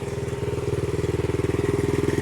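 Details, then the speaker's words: 1970 Honda CL100 single, about 11,000 miles, freed from seizure, no battery fitted, still smoking from ATF in the cylinders while warming: steady, even thump with no knocks or misses; normal idle. "this thing was stuck guys it's still smoking hopefully we get enough heat in it we'll clear it out yeah it sounds good"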